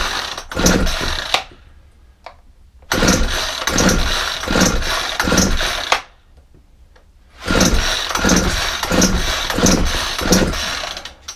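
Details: Cold, frosty-morning Ryobi 4-stroke trimmer after slow-running jet adjustment: pull-start, a few seconds of uneven running, then it dies, three times. Owner suspects the carburetor, since slack in the throttle cable stops it opening fully.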